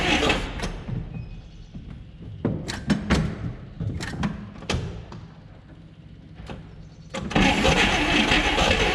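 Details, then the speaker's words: 1959 Apache original straight six, 1-barrel carb, after about 36 years sitting; the starter is worn. Repeated cranking bursts and ragged catches, then an uneven, lumpy run that won't hold a steady idle. Owner suspects the idle circuit. Rough running, won't hold idle. "Idle circuit must not be working very well. So close. So yeah, it does run."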